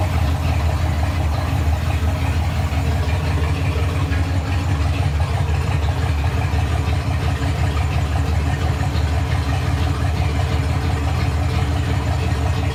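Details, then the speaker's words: Fox Body 302 V8 turbo build, running after the battery was relocated to the rear. Deep, even, smooth idle with no misses or knocks; engine running healthy. "Okay, so as you saw, I got the thing to run with the battery relocated in the back, and all I did was take some extra wire that I had for an old sub setup and run it to the back here."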